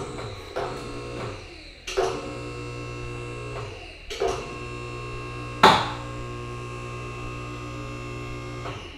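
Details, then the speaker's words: Max Jax portable 2-post lift, first lift of a real car on its jack points: steady electric pump hum with a few clunks as the arms take the weight; slow but level, working normally. "it's not the fastest lift but it's working it's level"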